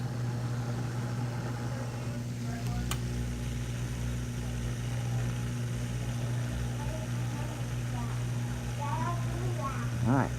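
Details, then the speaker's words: Whirlpool dishwasher filling after the water inlet valve, the suspected source of a whistle at cycle start, was replaced: steady low hum with an even rush of water and no high whistle; valve now fills smoothly and quietly. "we hear the water flowing through here it actually sounds much better than it did what a better than it did before I think this definitely was the source of our whistling problem"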